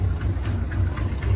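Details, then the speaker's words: Dodge 440 V8 big block in a Travco motorhome, sat nearly 20 years. Recorded at operating temperature after an Italian tune of repeated revving: deep, steady, low warm idle with slight unevenness, much improved over its earlier rough idle, though unburnt gas is still smelled. "how the idol has improved it's still not the best but it's way better than what it was yesterday"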